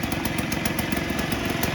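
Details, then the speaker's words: 1958 Allstate (Sears) Vespa 125cc two-stroke, cold start on choke after sitting about a year: fast even popping idle with steady crackle and no misses, running smooth as it warms. "usually it just takes a bit of time for the gas to start falling down in it but it's running smooth"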